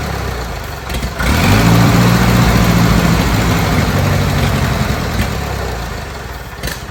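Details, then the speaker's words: Old Bobcat 610 skid steer, Wisconsin petrol engine, old updraft carburetor, fed ethanol-free 90 octane from a jug, started with starting fluid: lumpy uneven idle about 200 beats a minute, then sags; runs only almost fully choked, dies on throttle. Cause unconfirmed. "So we got it running on its own. It's literally doing what it needs to somewhat. It's almost all the way choked to run, and it has no, you give it throttle and it just dies."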